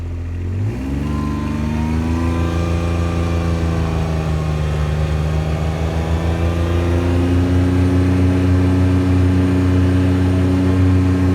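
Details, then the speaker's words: Kubota RTV900 on a road test after hydrostatic transmission repair (charge pump, brass wear plates, relief valve, filters, oil): engine and drive pull up in one smooth rising tone to a steady cruise near 27 mph, its fastest ever; no surging or grinding, drive healthy. "Well, that was nearly 27 mph. That That's the fastest this thing has ever done since we've had it."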